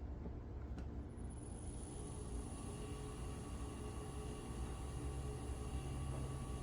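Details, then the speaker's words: Homemade disc sander driven by a 2.2 kW/3 hp motor on a VFD, disc rated below 2800 rpm: steady low hum with faint constant high whine, smooth with no knocks or wobble at its chosen speed; running cleanly. "That sounds like a pretty good sweet spot right there. There we go."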